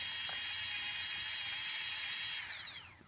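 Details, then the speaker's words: Brushless motors on Afro Slim ESCs (SimonK firmware, same with BLHeli): high motor whine with an unsteady waver before winding down. The two right motors oscillate only when both are connected; cause unknown, and ESC replacement is planned. "let me just plug them back in we'll try and run them again and you can hear that oscillation so if anybody has any ideas I'd really appreciate"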